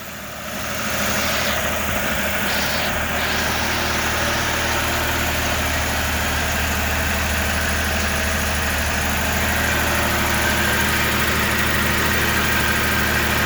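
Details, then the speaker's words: 1994 Toyota 4Runner first run after replacing the left-hand cylinder head, with air being bled from the cooling system; steady, smooth, even idle with no knocks or misses, running well. "Okay, I'm gonna cut it off now and get the cooling system fully done, but it's running good. It sounds good and it's running smooth."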